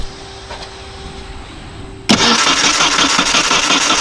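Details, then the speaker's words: Vehicle cranks but won't start: quiet, then loud churning as the starter turns the engine over without catching; fuel pump relay clicks and only a little fuel pressure. "I'm pretty sure I hear the relay clicking or I can feel the relay clicking so it's it should have power and ground and all that good stuff"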